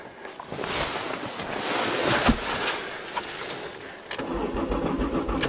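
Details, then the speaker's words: 1992 Voyager cold start in snow: uneven starter churning for several seconds with no catch or firing, no tach movement and no fuel pump sound heard; cranks but won't start, fuel pump suspected dead. "no tack you don't hear any fuel pump [Music] oh damn it I think the fuel pump's dead"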